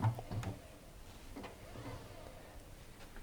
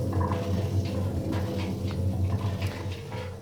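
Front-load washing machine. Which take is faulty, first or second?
second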